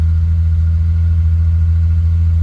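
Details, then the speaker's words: BMW E30 323i six sitting unstarted over a year, started in garden with no radiator fitted and exhaust covered: steady, smooth low idle with even beat, no knocks, ticks or misses; runs sweetly, normal idle. "Well, that hasn't been started for a good year. Year plus. So, and that sounds sweet."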